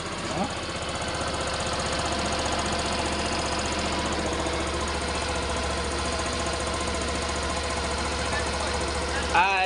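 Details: Suzuki Burgman 125 scooter after fixing a no-start, injector refitted: the single-cylinder engine settles into a steady, even idle with no misses or surging, sounding healthy.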